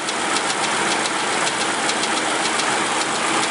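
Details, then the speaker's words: 2004 Mercury Mountaineer 4.6 V8 at warm, slowed idle: a loose, alternating slapping tick about twice a second, not a steady lifter tick, and worsening over time. The timing chain is slapping the aluminum cover or valve cover. "See, it almost sounds like a lifter, but it's not, because a lifter would be a solid tick. This is alternating back and forth."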